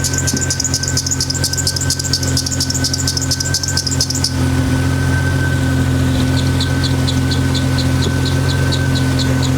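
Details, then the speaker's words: 1992 Jeep Wrangler YJ with rebuilt 4.0L engine at idle: high, rapid chirping squeak about four times a second; squeak goes away with a squirt of water on the belt, so most likely a slipping serpentine belt needing replacement. "So there we go, as easy as that, just a little squirt of water, and that tells me that most likely this squeak is coming from a bad belt."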